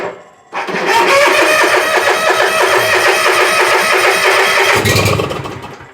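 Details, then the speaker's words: Bobcat zero-turn mower after no-start with wrong ignition switch, bad replacement solenoid and corroded fuse holder link; engine catches, runs rough about four seconds then dies, weak battery suspected, start-and-stall from poor electrical feed. "What is going on? Probably need to charge the dang battery. Runs and dies."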